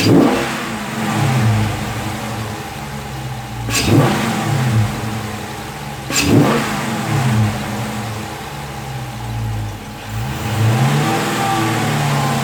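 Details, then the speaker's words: 2016 Dodge Charger Scat Pack V8 with a newly installed JLT cold air intake, warmed up, blipped from idle to the rev limiter and back: smooth, deep, even note; normal, exhaust seemingly slightly deeper. "I don't know, it kind of sounds like the exhaust got a slight tidbit deeper."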